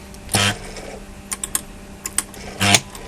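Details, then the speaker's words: Computator CT-1000 antenna rotator with owner-built controller, momentary mode with brake delay; sharp clunk as brake disengages, faint drive for a couple of degrees, clunk as brake re-engages; normal operation. "so if you listen closely you'll start the brake will disengage and basically we'll drive it for a couple of degrees and then we'll stop and you'll hear the brake re-engage."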